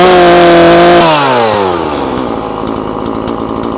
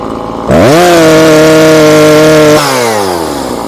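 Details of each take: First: Husqvarna 340 chainsaw after carburetor diaphragm replacement, high-speed screw adjusted: strong steady full-throttle howl that dips and snaps back with slight burble, not screaming; high-speed mixture correct. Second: Husqvarna 340 chainsaw after carburetor diaphragm replacement, high-speed screw opened 1/4 then another 1/4: at full throttle climbs quickly to a flat steady scream then winds down; sound shows screw must be turned in, mixture too rich.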